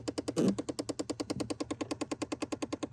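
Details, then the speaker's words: Chevy Impala with key on: rapid even ticking, about eight clicks a second, behind the dash; clicking AC/HVAC door actuator with broken, skipping gears, one of two faulty actuators to replace. "it is clicking it might be the other side okay so I didn't think that I would hear any clicking so it might be the driver's side because it doesn't sound like this one"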